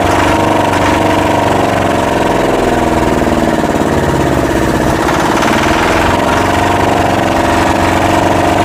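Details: Yanmar SB12 marine diesel after fuel line repair, bleeding the line and mounting the primer bulb vertically: steady, even idle chug with no stumbling or surging; fuel system bled and running clean.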